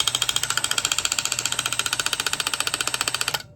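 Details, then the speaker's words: Old distributor removed from budget small-block Chevy 350 swapped into 1985 Chevy square body, shaft spun by hand with socket: quick, even dry ticking about four clicks a second, severely not right; suspected cause of earlier engine noise, unconfirmed. "that ain't right H interesting but yeah either way something is as you guys can tell severely not right there I think that's what most of our issue was"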